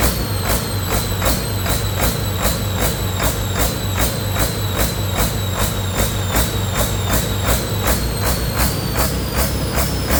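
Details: Detroit 40 series turbo diesel generator engine (rebranded Navistar DT466, possibly DT530), sat outside 5+ years, first run on own fuel after bleeding injectors, no coolant: heavy drone pulsing about twice a second, throttle pulsing; governor suspected, no knocking.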